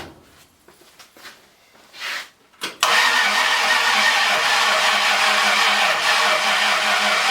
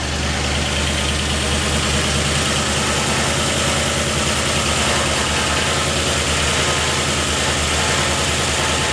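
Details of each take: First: Ford 302 V8, freshly rebuilt with a new cam and just installed, battery sounding weak: clicking, then weak rhythmic cranking at about three beats a second that never catches; the distributor was confirmed 180 degrees out. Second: Ford 302 with a new cam, just installed, no radiator fitted, after correcting a distributor installed 180° out: it catches and settles into an even, steady idle. Oil pressure reached 50 psi while cranking, and it sounds healthy.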